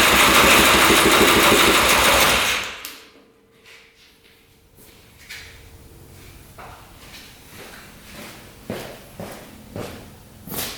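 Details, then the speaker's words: 2002 Polaris Scrambler 400 4x4 ATV, all original, choked on first start attempt; fires and runs rough about two seconds then cuts out abruptly to silence with scattered clicks; owner suspects low compression once oil left the cylinder, unconfirmed. "right looks like it started up there for a second and then died and now won't uh res start"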